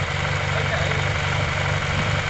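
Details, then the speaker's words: Yamaha TMAX 500 twin-carburettor scooter at idle after carb work: a steady, even low idle with a smooth unbroken beat and no hunting or missed pulses, a healthy engine. "all right guys have a listen it's running smooth as anything very very smooth"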